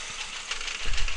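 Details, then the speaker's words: Four-cylinder engine idles lumpy with irregular low thumps after injector 3 is disconnected; the cylinder balance test shows that cylinder's output dropping to 10%. "You can hear the engine's not very happy. You can see that our signal on cylinder C or our output should we say has dropped down to 10%."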